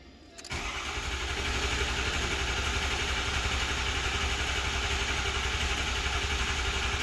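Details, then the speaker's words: 2006 Ford 6.0L Powerstroke diesel, 139,000 miles, after repairing the high-pressure oil system for a crank-no-start: catches after cranking and settles to a steady even idle with regular low clatter; normal start after long priming crank. "anytime you disable this high pressure oil system you're going to have to crank it a lot it's going to take a while to get all the oil"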